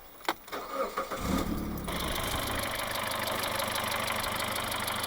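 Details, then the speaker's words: Mitsubishi Shogun Pinin 2.0 GDI (4G94), code P0190: short crank, then a slightly uneven idle; fuel pressure sensor reads 4.8 V both engine off and running, suspected connector or sensor fault, with low pressure possibly from a clogged high-pressure filter. "So we got 4.8 volts with a non-running engine, and we got the same. We get the same with the running engine. So I have a strong feeling that there is a connector problem or a sensor problem."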